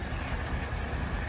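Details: 1974 Ford Bronco 302 V8, first start in years: low, lumpy idle that won't settle smoothly, no smoke; owner suspects it needs work, maybe spark plugs; rough idle.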